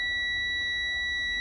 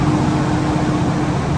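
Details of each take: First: Commercial truck cab during a CDL-training pre-trip inspection, with the key turned on to check the gauges before the air brake test: a steady, high, piercing warning buzzer tone holds unchanged with nothing else behind it. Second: Truck air brake system during a CDL pre-trip brake test, primary and secondary air building to the 120–140 psi governor range: a steady engine and compressor roar, then a short hiss of air as the governor cuts out. Normal governor cut-off.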